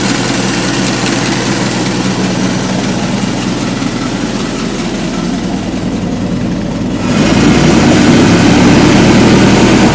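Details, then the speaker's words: Ford Model T engine at steady low chugging idle, even and unbroken with a slight rise in loudness near the end, after refitting the rebuilt carburetor; back up and running good, normal idle. "yeah she's back up and looking good running good"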